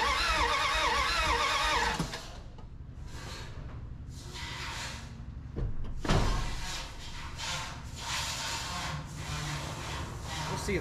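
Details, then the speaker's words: 1981 Dodge D150 cranking, no start: quick steady cranking with scattered sputters that never build to idle. Spark present, little gas in tank and fill hose leaks; owner suspects no fuel reaching carb and choke problems. "I'm not getting fuel up there yet I don't think but we are getting sparked finally sure that choke is causing me some problems there"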